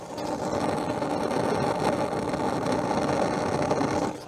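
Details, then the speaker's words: Newly installed bolt-on unit in a school-bus camper, switched to auto and running on a battery booster: a steady, even rushing hiss of the flame with no sputter or popping; the burner works normally. "It was a direct bolt on, and it seems to be working. I legitimately just turned it to auto, and it came on. I don't know if you guys can hear this, but I'll show you guys the fire."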